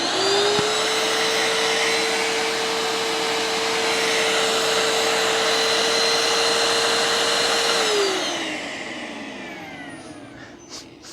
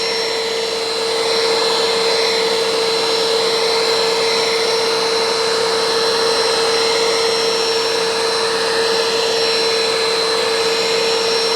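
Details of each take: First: Bissell ProHeat Essential carpet cleaner, likely made in 2017, suspected of leaking, with some smell noticed: a steady, even high whine for about eight seconds, then a smooth wind-down; the motor appears okay. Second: Curb-found Bissell ProHeat Essential carpet cleaner with a replacement Kenmore Intuition cord, sprays water and picks up: steady high motor whine with a fixed tone and airy rush, no bogging, plastic clicking; suction works but is weak and slow, and it leaks; cause unknown.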